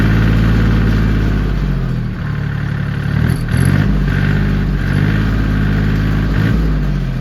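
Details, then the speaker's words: John Deere 770 diesel tractor at 42:57 hours on start-up: settles quickly into a steady, even low chug with no knocks or misses. Healthy idle. "She runs good. It's definitely been used, as you can see."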